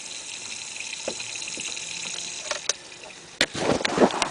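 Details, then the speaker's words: Volvo V50 leak-down test with moderate-to-low cylinder pressure: steady hiss and fizzing bubbles in sprayed brake cleaner as air leaks past the intake valve; head gasket and valves to be replaced. "if you listen carefully you can hear a hissing sound i will spray some penetrate some brick cleaner you can see it's like cooking so the intake valve is letting some air too"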